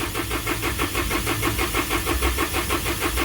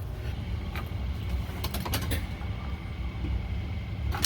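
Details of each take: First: 2012 Isuzu with 4JJ1 diesel, codes 335/336, crank sensor and ECM already replaced: starter churns about three even turns a second for an excessively long crank, erratic engine speed on scan tool. Cause is crankshaft position sensor air gap. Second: 2012 Isuzu with 4JJ1 diesel, after cleaning rust from crankshaft position sensor bore and refitting sensor: brief crank, catches quickly and settles to steady idle; previous long crank and intermittent rough running fixed.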